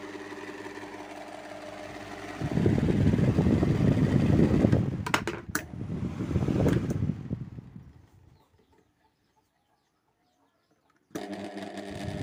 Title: Table fan making noise || Table fan shaft problem || shaft problem solved 🤗